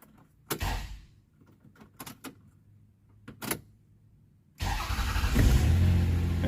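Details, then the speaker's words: 1997 Toyota (Avalon/Camry) that had a crank-no-start from a blown EFI fuse, after fuse replacement and a new battery: quiet clicks, a short whir, then it catches and runs steadily; it starts now, though dash lights and windows still don't work. "starts up no dash lights windows don't work sunroof is open can't close it"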